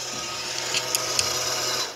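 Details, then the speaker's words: 2018 FLEX Walker machine tune-up, water and cleaner pump test run to purge air after opening the line: short high buzzing pump whir with sputtering pops as air clears from the dispensing tip, then shuts off; priming normally. "water and cleaner water pump test button enabled we're going to look for the dispensing tip over here to stop spitting out air bubbles"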